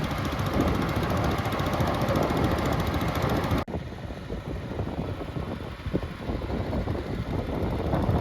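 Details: 1962 Bolens Ride-a-matic garden tractor on an outdoor drive after restoration: small single-cylinder pulling steadily at varying speed, smooth even beat, no knocks or misses; runs very well and speeds around fast.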